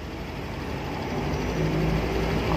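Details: Honda Vario 150 scooter that was dead and wouldn't start, with only clicking from the starter; the battery was suspected. Steady low putter at an even idle with no stumbling, still running with the battery disconnected; normal idle.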